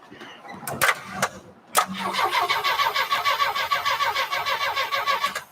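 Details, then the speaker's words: 1949 Studebaker Champion, first start attempt on jumper cables: steady starter cranking at about three chugs a second with no firing or catch. It cranks but won't start, apparently lacking fuel, so carburetor cleaner or starting fluid comes next. "cool all right we need some gas all right it cranks guys so just throw some carburetor cleaner at it let's see if it'll sputter"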